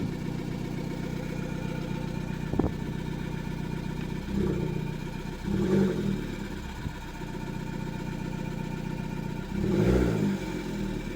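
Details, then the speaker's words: Fiat Panda 100HP fitted with a Bravo 1.4 T-Jet turbo engine, first start with no coolant lines: lumpy, uneven idle, and throttle blips stumble instead of rising cleanly; rough running, sounding like two cylinders. "The car's working, the turbo's turning, I think. It sounds like it's running on 2 cylinders. I'm gonna try and give it some gas."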